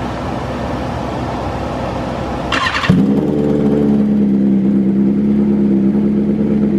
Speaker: these things happen a very very loud and uh pretty obnoxious Idol to be honest with you for the cold start